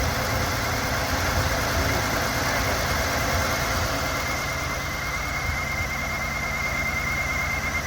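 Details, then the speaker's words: Buick Park Avenue idling just after its first start in over 8 years, following fuel line replacement: a steady, even idle with a smooth low beat and no knocking or misses. The exhaust is smoking and the return line is still leaking. "Okay, so we got it running, but we still have a little bit of an issue."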